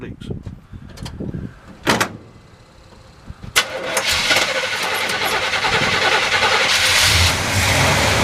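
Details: 1976 Chevrolet C20 with a 454 V8, first start after valve cover gasket replacement to check for leaks: a few cranking bursts, then it catches and settles into a steady, even rumble with no knocks or ticks. Normal running.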